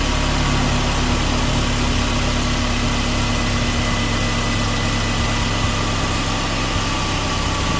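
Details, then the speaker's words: Mercedes SLK R170, about 25 years old, engine idling, recorded under the car at the fuel filter/pump after a petrol smell; loud steady whir with a faint tone, an old fuel pump running noisily. "Quite noisy, I can hear it running. Let's see if you can hear it. Yeah, that's quite a whir there, isn't it? It's an older motor. It's 25 years old, we know this."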